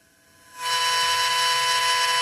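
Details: DJI H3-3D gimbal: faint hum jumps to a loud, harsh steady electronic buzz when the gimbal reaches a certain pitch angle after being attached.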